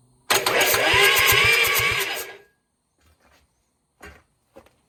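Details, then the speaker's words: Freshly rebuilt Perkins 4.108 diesel in Gehl HL4600, first test with starter connected, oil pressure unknown: about two seconds of even cranking beats, roughly three per second; turns over freely without starting. "It turns over. It turns over. It turns over. Okay."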